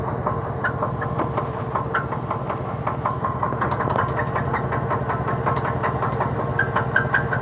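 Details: 2003 Cadillac DeVille V8, morning start: rough idle with steady knock two to three a second and thin squeaks, engine stalling and exhaust shaking; cause unknown.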